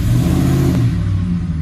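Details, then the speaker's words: 2007 Ford F-150 5.4L 3-valve V8 in gear, brake-torqued to load it after the loose cylinder 2 spark plug was fixed: deep, even rumble pulling steadily with no stumble, all cylinders firing cleanly, dead misfire cured. "see it right there so we know our plug fixed it right we know our plug fix that dead misfire"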